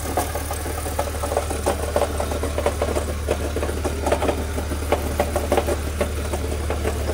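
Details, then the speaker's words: Car engine idling with uneven knocking and rattling not tied to firing, heard more central engine, not harmonic balancer; noise goes away when clutch is pressed, so owner doubts it is engine; source unclear. "it kind of sounds like this area of the motor so hard to tell I can't feel it oh it's definitely not harmonic balancer it's more Central engine"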